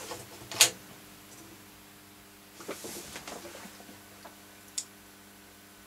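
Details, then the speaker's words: Roksan Caspian integrated amp, reported to crackle after being on a while, powered up on the bench into workshop speakers: one sharp click, then a faint tick, like a small relay; red light on, suspected protection relay or source selector, unconfirmed. "okay sounds like the protection relay is dropped out I don't know if it has got a protection actually sounded like a sort like a quite a small relay so it's probably a source selector"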